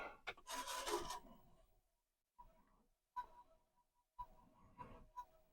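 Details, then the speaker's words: Commodore 1571 disk drive after long storage, trying to read a disk: irregular bursts of rasping and rubbing with silent gaps, the drive straining; the owner doubts the disk is at fault and plans to try another. "that does not sound good all right I'm going to try and [Music] re that does not sound good at all"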